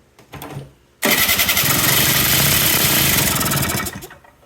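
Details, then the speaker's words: Kymco 50cc two-stroke scooter with its carburetor already cleaned and an electronic choke. A few seconds of rattly cranking with no catch; it starts only when the intake is covered to richen the mixture. No start from a failed electric choke. "Just you get nothing. Now, if we put our hand over this, richen up the fuel mixture a little bit, it'll start and run."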